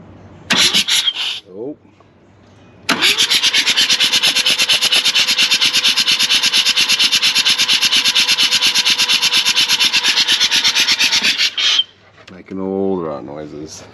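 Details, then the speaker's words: Mazda RX4 13B rotary ex-race car, long sat, cranked by a wire straight to the starter on a weak battery: slow, laboured cranking at about two even pulses a second. Compression pulses sound equal and healthy. "sounds like it's got all its pulses and everything she's gonna be a runner"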